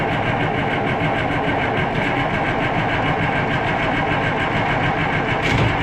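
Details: Oliver 1800 tractor, not run for over a year and fitted with a fresh battery: starter chugs steadily at about five beats a second with no firing. Air was found when the fuel filter was cracked open; the owner suspects air in the fuel system.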